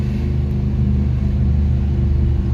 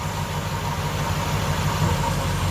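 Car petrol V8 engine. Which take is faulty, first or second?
second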